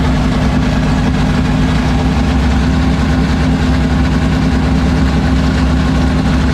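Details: 1976 Chevrolet Vega drag car with new 427 V8, restarted after fixing no oil pressure (distributor not seated on oil pump): heavy lumpy idle, steady rumble, no knocks; great oil pressure, healthy.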